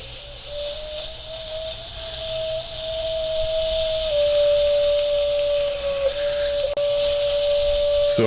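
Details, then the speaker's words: WMF pressure cooker on the stove, binaural recording, pressure beyond the second ring: a steady high whistle with a loud hiss of escaping steam as the safety valve opens to vent overpressure. The fix is to cut the heat or remove it from the fire. "I see steam coming here so that means the safety wife is going to open now"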